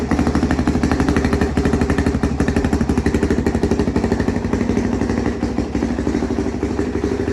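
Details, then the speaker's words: 2005 Honda CRF450X sat 10 years, low compression suspected from valves, revived: steady even single-cylinder thump, no misses or clatter; not smoking, good throttle response, runs healthy. "but it's not smoking or anything it sounds good the throttle response is good it's not like choking out or anything"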